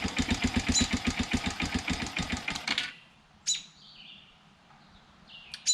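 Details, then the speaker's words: Youth 110cc Chinese ATV (model 3050B), first start after rebuild; it had run out of oil and seized the crankshaft, and the head was rebuilt. Brief even putter from the small single, starts and idles without knocks, dripping a little oil. "so she starts runs and idles dripping a little bit of oil"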